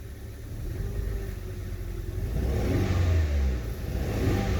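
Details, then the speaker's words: Hyundai i20 Mk1 revved, engine misfiring: rough, uneven revving with a stumbling low pulse, whole engine vibrating, lacking power, high fuel consumption (7.6 shown vs about 5.7–5.8 normal); spark plugs, coil packs or compression loss being checked. "It's not sounding really nice."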